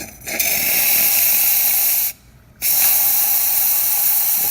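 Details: Pasquini Livia 90 espresso machine after grouphead water leak repair: strong, even steam wand hiss with one brief pause then steady restart; clean healthy steam flow, no leaks.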